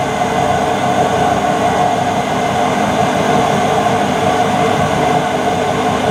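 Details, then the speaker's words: Mid-1990s Whirlpool AWG324 4 kg, 600-spin super slim washing machine: a loud, steady roar with a rough grinding edge the whole time the drum turns, plus knocking and a bouncy drum. The drum bearings are worn out. "they're the bearings on the drum and they're gone"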